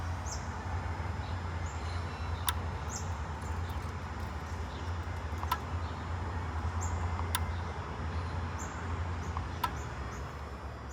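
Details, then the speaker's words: Toyota Camry Hybrid with a no-start issue, engine running only a few seconds then dying: relay gives sharp single clicks every two to three seconds over a low hum as the ECM switches it, but no output voltage comes out of it. "Relay को on कर रहा है click की नॉज आ रही है पर power कोई नहीं बाहर आ रही उस रिले से पावर बाहर नहीं आ रही"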